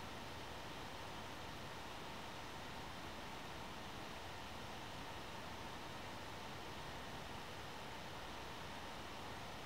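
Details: One Netbook One Mix 2S Yoga 7-inch mini laptop running Prime95 CPU stress test, temperatures rising: steady airy hiss from the small fan spinning hard, getting louder, free of rattles or ticking; normal fan under load.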